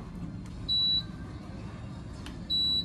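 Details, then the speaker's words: Household air conditioner indoor unit that previously would not power on, after repair with the cover and filter refitted: a short clear power-on beep over a faint hum, repeated about two seconds later. It powers up normally. "现在充电时机滴响了一下，我们就开机。"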